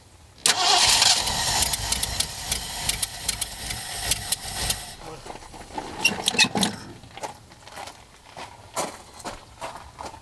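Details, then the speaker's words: Ford Bronco, first start attempt in 12 years after timing set to top dead center and new Accel 8mm plug wires; starter cranks in uneven bursts, catches briefly and dies, fuel starved as it used up fuel poured into the carb bowl. "Figured out that it just finished sucking up all the fuel that I put into the bowl off camera."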